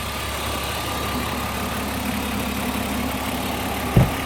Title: Bmw e36 323 ticking noise.